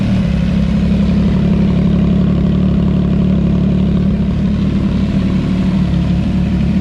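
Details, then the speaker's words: CFMOTO 675SS motorcycle running after being brought out of winter storage: a steady, even exhaust drone with a firm low note and no ticking, knocking or misfire. No leaks are found, and it is a healthy sport bike engine. "You forget how loud something is until you start it back up again, but everything's looking good."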